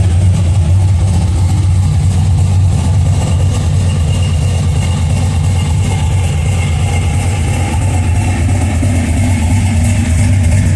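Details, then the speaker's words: First start of a budget cammed 5.3L LS V8 on its current tune (no real knock sensors yet): steady, slightly lumpy idle with gentle rhythmic cam chop, no knocks. Probably less choppy because the exhaust isn't clapped out. Normal cammed idle. "probably don't sound as choppy cuz it's not that clapped out exhaust on most of these things"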